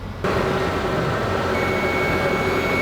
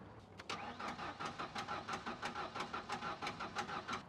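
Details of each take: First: Fuel-injected Ford Ranger after sitting about 14 years, started on added fuel and a fresh battery: steady, even engine note with faint high charging-system whine, no knocks or misses; runs amazingly well. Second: Ford Ranger abandoned about 14–15 years: steady starter cranking about ninety compression pulses a minute, never catching even with starting fluid; no spark at coil packs, suspected missing signal to computer.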